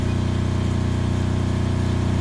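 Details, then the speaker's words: Kubota GL 7000 diesel generator adjusted to about 61 Hz, under about 1.7 load: steady, even low thrum with smooth regular beat, no knocks or hunting; running normally. "and if you come over here and you look at the load right now I'm pulling 1.7 so I you know I'll slowly increase higher and higher"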